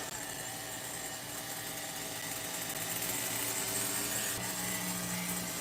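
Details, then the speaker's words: Megatech nitro Razor RC engine, restored, carb sealed, first real testing: high, fairly steady idle that wavers slightly, only just holding idle; needs a tune. "All right. I mean, it's keeping the idle to a degree."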